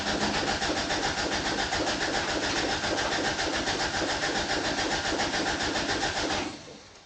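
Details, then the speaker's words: 1988 Toyota Pickup (Hilux), off the road about five years, new fuel pump and lines just installed but pump not plugged in: steady cranking about three and a half turns a second with no firing, then stops; no fuel. "I ain't got it plugged in. Hang on, everybody. I'm only human. It would probably help if I plugged it in."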